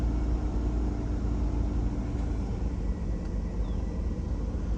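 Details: Mid-to-late 1990s Chevrolet Astro AWD van: deep steady low rumble at even idle, no knocks or misses; decent oil pressure, engine running smoothly.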